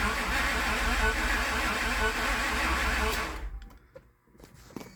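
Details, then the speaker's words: Towed-in crank-no-start car showing no RPM signal on the scan tool; crank sensor or its voltage reference suspected. Slow, labored chugging around four beats a second, below the roughly 450 rpm expected, with the starter engaging and disengaging. Weak, dragging starter. "RPM is pretty slow. I wonder, because I'd imagine I need to be around like 450 or so. It's dragging."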